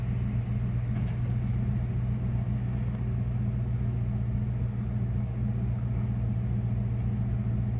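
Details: 1996 Dodge Ram 5.2 V8 after cleaning a very dirty throttle body and fitting a new IAC valve: revs settle into a steady, even low rumble with no misses or surging. Previously RPMs dropped very low on throttle let-off; the fix is judged a success. Normal idle.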